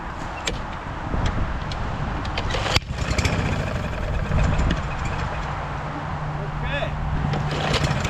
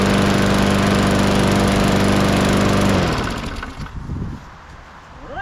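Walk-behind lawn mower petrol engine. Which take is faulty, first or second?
first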